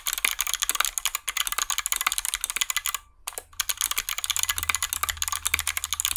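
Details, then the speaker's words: Hot-swap 60% mechanical keyboard built without soldering, 61 keys with Kailh Box switches and lubed stabilizers: fast, crisp, loud clacks with clean key returns and no rattle on the longer keys. Normal typing sound, no stabilizer rattle. "nice and loud as expected this does cover the sound of the snare glasses but you can also hear that there was no rattle because I lived them"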